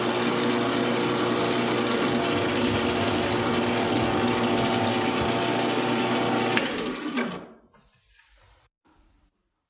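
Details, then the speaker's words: Lathe boring a hole in a bench grinder diamond dresser body on power feed; boring bar stuck out about 7.5 times its diameter chatters with a steady, piercing high-pitched whine over the lathe hum, despite efforts to minimize it; hole to be reamed afterward. "you could hear that chatter you know I've been trying to minimize it but it was there that really high-pitched whine that was that boring barb chattering in that hole"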